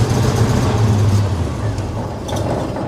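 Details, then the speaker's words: Supercharged 2010 Range Rover V8 after a 600-mile drive; it died on pulling in, then restarted. A deep rumble loping unevenly at idle with wandering pulses, and it smells like it is running rich. Rough running, cause not pinned down. "It'll start right back up. Yeah, and now it's running like crap."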